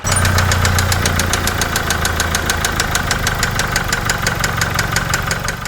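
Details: Land Rover Discovery 5 with the problematic Ingenium engine, idling, which the shop judged to need engine replacement: sharp, regular metallic ticks about five per second over the idle. This points to worn engine bearings knocking.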